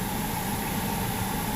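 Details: 2013 Ford Explorer after replacing the electric rack and pinion that made a roaring noise: quiet steady engine idle with no roar or whine from the rack; steering working fine.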